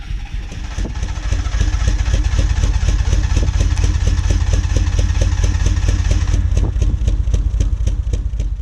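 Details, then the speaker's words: Mitsubishi Lancer GSR 1.8 turbo four-cylinder, first start after new fuel pump fitted for no pump buzz: low, lumpy exhaust thumps arriving unevenly, idle never settling; rough running, misfiring. "What the? It's running, kind of. Sounds quiet."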